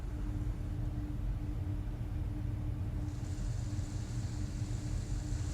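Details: Goodman gas pack in air-conditioning mode, reported freezing up; about 68° outside, return air 65–67° rising, supply 51°, spread climbing from 16° toward 20°; quiet constant motor hum under soft air rush, airflow hiss rising partway; running normally.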